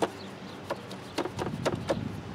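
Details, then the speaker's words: 2014 Chevrolet Cruze RS, complaint of fans running too much: sharp relay clicks with no fan spinning up even after reconnecting the connector; the cooling fan motor has failed and needs replacing. "nothing, needs a new fan. Just like that, we're done."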